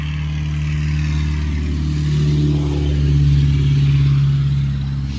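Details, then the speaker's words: 5.7 Hemi (Chrysler) with the fuel pump fuse removed to relieve fuel pressure before intake manifold removal: the starter cranks steadily at three to four beats a second but the engine never fires. Crank, no start, no fuel pressure. "so you try to start the car the car's just gonna crank it's not gonna start because of course the fuel pump fuse is removed"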